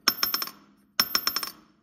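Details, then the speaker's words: SBC Assault Racing cylinder head after valve job: valve dropped twice, each a bright metallic tick with about four quick fading rebounds; valve bounces freely, meaning the seat is square and should seal. "the valve should bounce up so in other words it'll go down you know bounce up and then back down again if it goes down just stops the valve job's like crooked like sideways or just not right"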